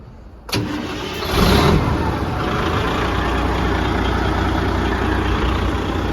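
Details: 1994 Spartan fire truck, freshly serviced Detroit Series 60 11.1L turbo diesel (40-quart oil): quick crank, catches at once, brief rev flare, then settles to a steady, even idle with no misses; healthy start.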